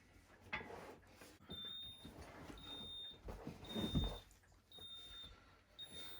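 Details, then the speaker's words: Hoover steam iron just plugged in and switched on: short high beeps repeating about once a second over faint handling noise, the normal power-on signal before water is added. "So when you turn it on, it makes this beeping noise."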